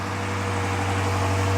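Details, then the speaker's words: Dodge Charger Pursuit on delivery day, before supercharger build, first start: fired right up into an even deep low idle, no misses, knocks or ticks; sounds good. "Okay. Sounds good. It looks good. Fired right up. Fired right up."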